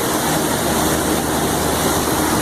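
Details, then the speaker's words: Intellipak rooftop HVAC unit after condenser fan motor replacement: steady, even rush of air with a faint constant hum and no scraping or wobble; all condenser fans running properly. "Well, she sounds good."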